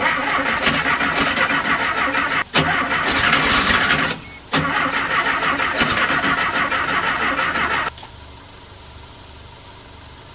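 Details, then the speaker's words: 1968 Porsche 912 air-cooled engine, freshly reinstalled, cranked with jumper cables to test whether battery power was the problem. Rapid cranking about three beats a second with brief stops, never catching. "see if juice was the problem it felt like it wanted to start up a few times so let's see what happens"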